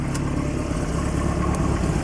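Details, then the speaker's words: Lotus Excel idling on a bit of choke after exhaust joints were sealed with fire gum: an even low idle, much quieter, with no puffing or ticking. A blow still remains at a broken weld elsewhere. "it just sounds a lot quieter but I guess I'll get onto the car and check everything"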